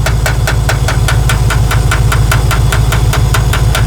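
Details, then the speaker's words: 1969 Ford F100 engine; light, sharp tick about twice a second over steady drone, appearing around 50–60 mph but not at idle or light revving; top-end tick, cause not confirmed: engine ticking. "See, this is where I'm confused at that tick at 55 or 50 to 60 that shows up, because I don't hear it at idle."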